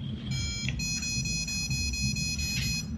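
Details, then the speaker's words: USBaux wooden box mod ohm-check beep code after five clicks and hold: one low tone for the first digit, then high tones for the digit after the decimal, reading a 1.8 ohm coil. "so the low tone is the first digit the high tones are the second digit after the decimal so that's 1.8 ohm coil"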